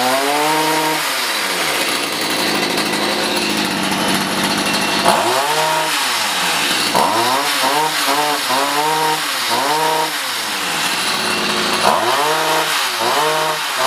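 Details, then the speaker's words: Stihl HS45 hedge trimmer two-stroke that wasn't starting, fresh non-ethanol fuel: high buzzy note swoops up and down with throttle blips while the carburetor is tuned, high-speed screw leaned, low-speed screw richened. "let's try this again uh except before i do that i want to adjust this one to a little more this one to a little less"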